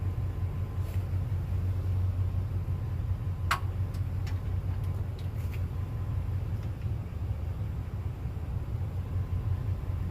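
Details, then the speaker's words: Rebuilt stationary well pump engine after a dropped compression release valve, with replaced head, new gaskets and new radiator: deep even rumble, steady low beat, no knocks or misses; runs much better now, normal running. "so we had to end up replacing the head and then while we had it apart we just you know put all new gaskets on everything put a new radiator on it and you know it seems like it runs way better now"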